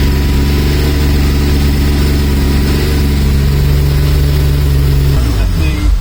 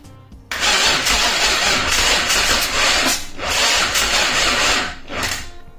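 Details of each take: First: Mazda MX5 with Rocketeer V6 swap kit after first start: smooth, steady V6 idle for about five seconds, then shuts down; running in wasted-spark mode rather than fully sequential. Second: Mazda MX5 with Rocketeer V6 swap kit, first start attempt, battery sounding weak: starter cranks steadily in long bursts but it never fires; fuel pump not heard priming, so its relay will be bypassed.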